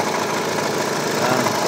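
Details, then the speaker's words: Hyundai Tucson CRDi diesel idling, noisy, worse with aircon on: busy metallic rattle over idle, light low rumble; worn auto belt tensioner chattering, tensioner and belt to be replaced. "masalo pagka naka-aircon ang lakas ang lakas ng droke dito."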